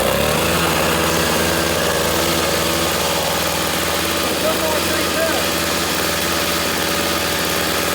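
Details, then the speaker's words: 21-year-old 2-stroke snowblower from 1997–1998 after fitting a new $13 carburetor and cleanup, started on primer with choke at middle: steady even buzzing idle without stumbling or surging; normal running. "Put a $13 carburetor in it, and it is up and running and ready to go."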